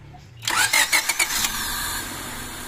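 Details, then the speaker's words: Honda Civic VTi automatic with a complaint of high idle that drops suddenly at start. First start after reassembly, engine still cool, starts at about 1,200 rpm. Quick crank, catches cleanly and settles to a steady idle without racing or flaring. Normal cold-start idle. "Hindi na nagwa-wild ah. Nawala ang wild ah. Hindi na nag-wild mga sir. Unang andar pa lang."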